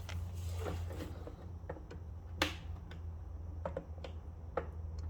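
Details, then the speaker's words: Craftsman mower with Kohler Courage engine, engine not running, carburetor being removed: sharp irregular ticks over a low hum as the fuel shutoff solenoid clicks and energizes normally. "Yeah, I hear it clicking. I hear that solenoid clicking down there. No doubt about it."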